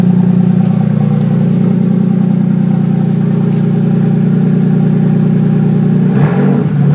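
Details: 1965 Mustang with 2JZ six-cylinder swap, newly fabricated exhaust: downpipe into Dynamax race bullet muffler, routed along driveshaft and over rear axle; strong steady exhaust drone at firm pitch, short throttle blip near end, smooth pulses, no misfire; normal running.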